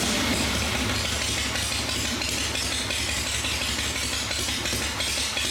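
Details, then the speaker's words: Motorcycle V-twin after helicoil repair and final checks, run with primary case off and a clutch-viewing unit fitted before adding primary chain fluid; open-primary clatter over a loping idle that holds steady without stumbling or knocks; kick starting still an issue. Normal idle. "he's got to finish up some wiring and stuff on it and uh that should be good but she sounds good everything's good"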